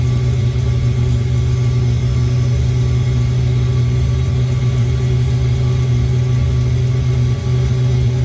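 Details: Old Eberspächer D1L air heater from a sailboat, first start in years with new glow plug and clean fuel: fuel pump ticking as it builds a flame, then constant low even roar without surging or sputter; burning steadily.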